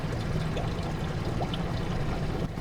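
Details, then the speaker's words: Yamaha four-stroke outboard in gear at about 550 rpm trolling speed: very quiet low hum, mostly the trickling telltale water stream heard; normal idle. "All I can hear is actually the telltale. It's amazing."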